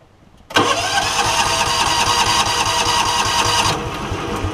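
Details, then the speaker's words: John Deere Gator, hard starting, compression and valves checked good; starter churns steadily at roughly three and a half beats a second but never fires; weak, skipping spark, suspected bad ignition coil. "that suspects me that the ignition coil is bad because sometimes I can look at this and see that it's like skipping and it's almost like every second or every third Revoluti"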